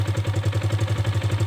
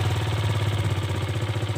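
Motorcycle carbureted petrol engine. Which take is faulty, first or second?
first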